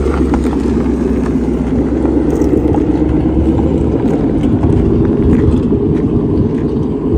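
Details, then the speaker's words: 2005-14 Ford Mustang on a road test after a wheel bearing replacement: steady, even road roar with no growl or hum rising with speed; the new bearing is smooth and healthy. "our wheel didn't fall off so sucess so all good yeah she's smooth"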